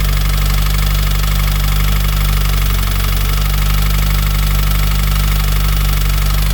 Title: FA20dit Engine Knock Cold Start